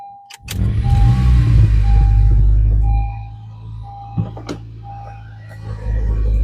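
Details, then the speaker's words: Honda CR-Z after valve clearance adjustment and spark plug change: engine catches quickly, settles to smooth low hum with a few chimes, previous valve-train ticking gone; normal start and idle. "I don't hear the ticking noise anymore."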